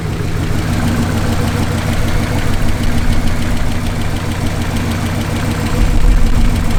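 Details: 1968 Lincoln Continental V8 after a repair, warm after 10–15 minutes of idling: steady idle with a fast, light ticking on top, better at idle but still odd under load; owner suspects the lifters, not confirmed.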